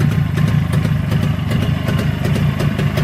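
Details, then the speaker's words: Freshly rebuilt Jawa/ČZ 360 two-stroke twin: quick, fairly even popping at a fast idle with no knocking or misses, cylinders well balanced; owner very pleased with the engine. Normal idle. "но я двигателем доволен вот именно этим раствором я очень доволен абсолютно 34 фишки есть резон не зря турки это делают"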